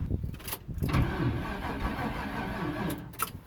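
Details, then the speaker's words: Carbureted Chevy Nova hot rod after sitting all winter: engine turns over steadily for a few seconds but never catches; has spark and fuel, bad gas suspected, not confirmed. "I checked that do have spark fuel gas in there and it does have spark but just didn't want to run"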